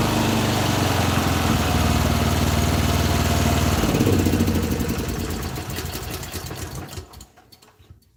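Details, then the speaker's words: Honda EM6500 generator after replacing and adjusting rocker arms, first start: steady even beat for about four seconds with no skipping, then shut off and winds down; no misfire, normal running. "No sound like there's a miss in the cylinders. No, I disagree with you there, sir. There's no miss in the cylinders. No miss at all."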